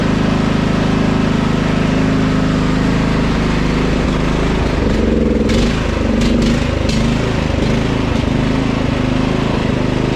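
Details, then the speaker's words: Husqvarna LT 1538 mower, Kohler CV15 engine, mows for a while then quits: idle won't hold steady, rising and sagging every second or so; surging from a carburetor fouled by old ethanol fuel, fixed by cleaning the carburetor. "sounds like a fuel to me now I started hunting new air filter that's nice"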